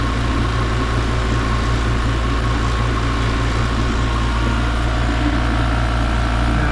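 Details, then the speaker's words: 115 V oil-lubricated Copenhagen compressor that earlier sounded ugly from an apparent pump failure and motor stall: now a steady, low, even hum with no knocks or rattles while it builds pressure. Normal, quiet running. "that actually sounds that sounds normal now you can see how quiet the compressor is"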